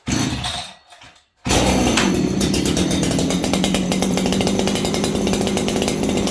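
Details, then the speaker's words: Farmertec 288 kit chainsaw, cold start with no adjustment: fires up and burbles unevenly, blubbering and four-stroking instead of running crisp; carburettor set far too rich. "Now, this saw is rich. You guys can hear it, hopefully, and see it."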